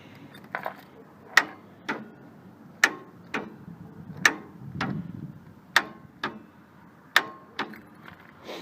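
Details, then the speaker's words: Craftsman 3000 GT series riding mower, 23 HP Kohler Pro engine: single sharp clicks about every second and a half with no cranking; starter solenoid clicks but starter not engaging. "the complaint is that it won't start all it does is click when you turn the key on"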